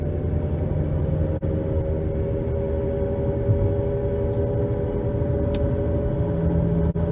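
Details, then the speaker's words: 2011 Nissan Rogue at 60 mph on new balanced tires: steady droning hum and roar, about 72–75 dB at 50–60 mph, with pedal and steering vibration, persisting when coasting in neutral; worn front wheel bearings, hub assemblies to be replaced. "60. A nice hum, some vibration in my pedal, vibration in the steering wheel, slight."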